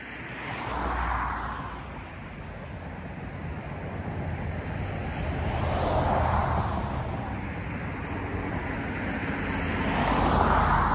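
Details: 1947/1949 International 1-ton flatbed truck, sat about 50–53 years, revived: old six runs steadily, swelling up and down in slow rev blips every few seconds, no knocks; running fine.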